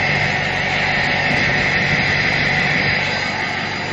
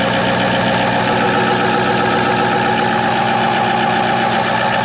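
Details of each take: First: 2006 Ford F-550 4x4 6.0 L diesel idling after a drive, listened to from outside near the exhaust: a steady, loud, jet-like rushing hiss over an even idle. Owner suspects a plugged catalytic converter; not confirmed. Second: 2006 Ford F-550 4x4 Super Cab, 6.0 L diesel with bulletproofing work, not yet warmed up: loud but even diesel clatter at idle, no missing beats or knocks; really pretty smooth for a diesel.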